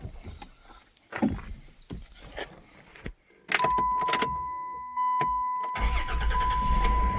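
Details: Minivan after replacing the fuel lines and hose and reinstalling the fuel strap to fix fuel pressure loss: short crank, catches promptly and settles into a smooth even idle under a steady chime; normal start.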